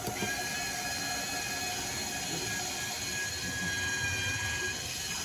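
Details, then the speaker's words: Water softener control valve with 9 years of salt-water drip, rinse state skipped: fast, uneven ratcheting gear whirr as the motor turns the metal disc, advancing to the fill state. Normal. "The motor's turning. You can hear that, all the gears turning, that little metal disc."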